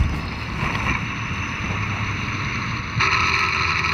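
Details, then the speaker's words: 12-year-old Ford F-150, all-wheel drive, high mileage, accelerating uphill: a steady high whine above heavy wind and road roar; likely a worn internal shaft bearing in the transmission, suspected not confirmed. "the noise though is an internal noise probably a shaft bearing inside the transmission starting to wear"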